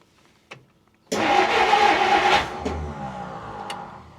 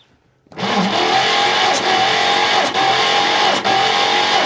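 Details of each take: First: 1959 Plymouth Fury, first start after about 38–40 years stored, fuel poured down the carb: catches, runs a second or so smooth and even with no lifter tick, then dies; healthy start. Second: Long-stored 1959 Plymouth Fury, sitting 38 years, cranking during compression testing; steady starter whine with slow uneven surge about once a second, turns over nicely but never catches; poor connection on the tester, compression about 45–50.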